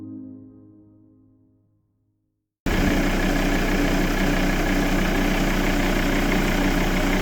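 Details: Volvo V70 D5 120kW diesel after replacing hydraulic lash compensators (9 damaged, 1 out) to cure ticking, a fading musical tone then a smooth, even idle with no ticking.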